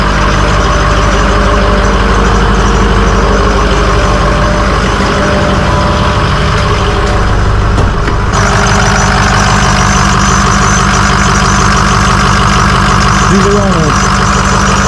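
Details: Ford 6.0 diesel after a day of loaded road testing the day before, check-engine light gone out: loud, even low diesel clatter at a steady idle with no missing beat or knock; a healthy idle.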